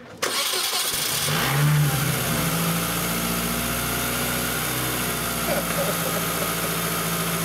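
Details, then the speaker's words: Engine that would not crank, after a starting-system fault was fixed: cranking current dropped to about 100 A from 400–500 A before. Brief starter whirr, then it catches within a second and settles into a steady, even idle; it starts and runs normally. "that's definitely a fix as far as getting this thing cranking normally I think this thing's actually going to run"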